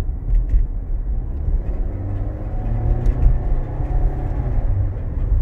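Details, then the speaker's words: 2016 Nissan Rogue AWD, scraping/rattle complaint with or without brakes, heard over bumps; hard acceleration at about 30 mph through the gears, deep road rumble with faint tinny rattle, confirmed exhaust rattle. "the rattle hopefully heard that definitely an exhaust rattle"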